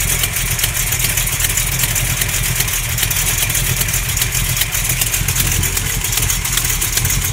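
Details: Small-block Mopar 360 (xe268h cam, KB107 pistons; lifters and main, cam and rod bearings replaced): rough, uneven idle with a loose knock at about 2–3 beats per second. It is not an exhaust leak, and the cause is not found.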